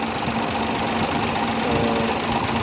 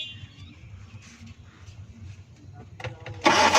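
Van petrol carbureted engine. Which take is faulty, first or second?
second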